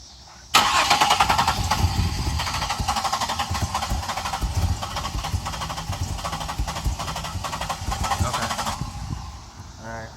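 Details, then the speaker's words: 1999 Pontiac Grand Prix GT, crank no start: the starter churns the engine at a steady, uneven chug, about three to four turns a second, for eight seconds without catching, then stops. The cause is unknown. "it once the fire but I don't know what's wrong with it can tell them please help me with this thank you right there one more time"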